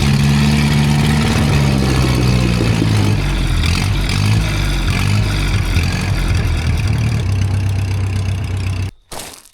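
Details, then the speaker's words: Flying Scraper engine that flooded itself; cranked held wide open with the fuel line pinched off to clear the gasoline: uneven, lumpy beat around four per second that gradually steadies and smooths; rough running from flooding. "That's that's gasoline. It was flooding itself out. So, I was cranking it over, holding it wide open, and I even pinched off the fuel line so it wasn't going to get an"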